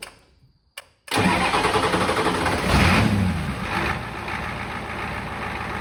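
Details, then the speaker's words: 1986 Ford F-150 XLT, first start after swapping in a 7.3L IDI diesel from a box truck, on a temporary straight-pipe exhaust: a short crank catches at once and settles into a steady, even diesel idle clatter, running healthy. "all right and just like that she is alive now granted this was the first movement it's done"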